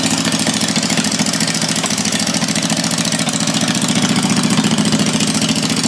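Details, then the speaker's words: 1980 Daihatsu S38 mini truck with a swapped-in 23 HP Briggs & Stratton Vanguard V-twin, throttle set on slow. Steady, even lumpy idle thump like a Harley, with no knocks or misses. "This thing sounds pretty dang good. It sounds like a Harley."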